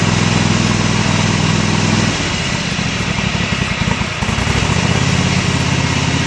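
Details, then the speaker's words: Kohler Command 25 hp CV730 V-twin on Husqvarna riding mower, after carburetor cleaning, coil replacement and mouse-damaged wiring repair: steady low thrum, brief dip midway then recovers; running well. "Not too bad there. Seems to be running pretty good at this point."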